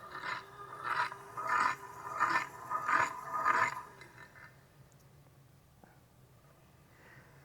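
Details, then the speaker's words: 20-year-old golf cart electric motor, disassembled and turned by hand: rough scraping surges about every two-thirds of a second, then quiet. It is not rubbing on anything outside, and the owner suspects an internal bearing, not confirmed. "It's not rubbing on anything on the outside. I think that is a bearing."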